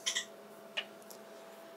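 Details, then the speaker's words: HP 8902A Measuring Receiver in RF counter mode, automatic operation, with a 100 MHz input from a signal generator: the input attenuator relay clicks sharply and continuously over a faint hum, hunting without settling. Attenuator o-ring failure suspected; clicking stops when generator amplitude is changed to -10. "but you can hear the attenuator clicking and it'll just keep doing this forever"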